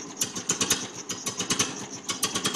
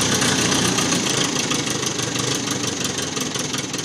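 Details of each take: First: 1950 Ferguson TO-20 tractor, rebuilt Marvel Schebler TSX-458 carburetor, main jet adjusted, new plugs; cold start attempted without choke gives uneven sputtering bursts that never settle: cold engine fails to start without choke. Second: 1950 Ferguson TO-20 tractor, cold start after rebuilt Marvel Schebler carburettor with main jet adjusted, rebuilt 6 V generator, new plugs and settling bowl; still needs choke to start: fast, steady putter with even firing and no misses; normal idle.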